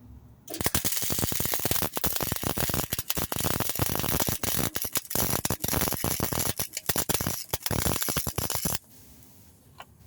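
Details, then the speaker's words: Flux-core (FCAW) welding on thin-wall pipe: choppy, stuttering arc crackle with repeated jabbing tink-tink sounds instead of a steady sizzle; wire feed speed set too high and will be backed down. "don't know if you can hear it, but I can hear the machine in the background. Sounds like a jabbing, like a tink, tink, tink, tink. So we're going to back down that wire speed and then we'll keep on."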